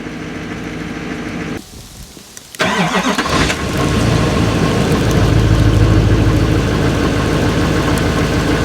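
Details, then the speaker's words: Diesel truck cold start: starter cranks briefly, engine catches cleanly and settles into an even raised high-idle warm-up mode with faint turbo spool whistle, returning to normal idle once warm; healthy. "now it's entering in its high idle mode warming up you hear the turbo spool up just a little bit after it gets up to an appropriate temperature it will come back down to normal idle"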